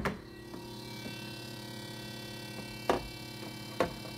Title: Refrigerator noise